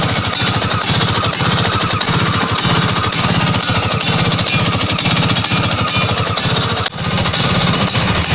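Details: Vespa PX two-stroke after contact-breaker (points) repair: crisp, rapid crackle firing evenly with no misses or stumbles; runs clean and idle can be set very low.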